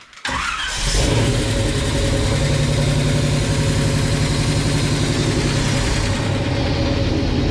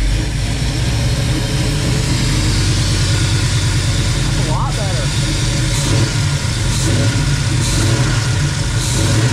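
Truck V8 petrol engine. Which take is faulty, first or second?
first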